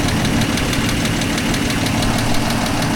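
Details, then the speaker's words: Toyota FJ60 warmed up after oil pan gasket and oil pump job: light tick about nine per second over a smooth, even idle; owner suspects a valve slightly out of adjustment, unconfirmed; gauge oil pressure barely changed after sender replacements. "You hear that tick? I think I got one of those valves not quite in adjustment."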